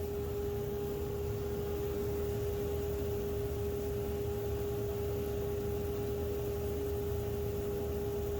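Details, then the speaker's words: 2 HP DIY cyclone dust collector built from a modified Harbor Freight unit with a new impeller, wall-mounted blower box; steady even blower roar, constant hum, smooth airflow, no rattles or surging, excellent inlet airspeed; normal running. "So we know it's running. It's making a Cyclone action. It's actually still got excellent airspeed at the inlet there."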